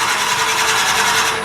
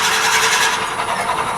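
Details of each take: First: Wood lathe at about 500 rpm, drilling into a tool-handle blank with a bit in the locked tailstock. Steady, even cutting hiss with a constant mid-pitch tone, normal drilling. The whining noise can be killed by waxing the drill bit. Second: Wood lathe at about 500 RPM, drilling a hole in a turned tool handle, with the bit held in the locked tailstock: a steady high whine with hissing scrape from bit friction; waxing the drill bit kills the noise.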